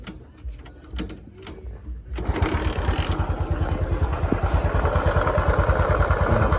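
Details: New-engine Honda Cub motorcycle revving with a steady hollow knocking beneath its run; teardown found a slack cam chain and a scored, pitted camshaft bearing.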